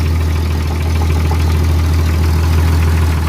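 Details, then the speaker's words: Jeep ZJ after replacing a rusted, holed muffler with a new one: deep, steady, even idle rumble, not too loud. Leak check found only very minor leaks. Normal idle. "get a little 250 pounds doesn't sound too loud over here either it's kind of nice"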